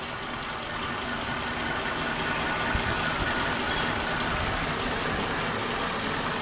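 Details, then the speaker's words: Warm Suzuki Katana carbureted engine idles too low, slow and labored with a lazy, uneven beat and no crisp pickup; the idle air/mixture screw is set too tight (too lean), so the engine speed sits too low. "Nah, ini agak panas jadi sudah bisa idle tapi terlalu rendah ini, setelan anginnya terlalu kencang."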